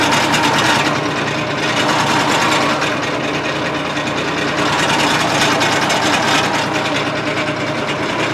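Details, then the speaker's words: Case 1835C skid steer diesel, first run in years, with broken piston rings: loud uneven clattering, ragged beat, smoking heavily as everything blows by the rings. "Obviously, this thing is smoking like a chimney because everything's just blowing right by the rings, and that's okay."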